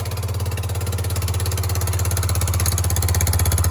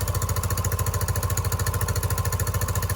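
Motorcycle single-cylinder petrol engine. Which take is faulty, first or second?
first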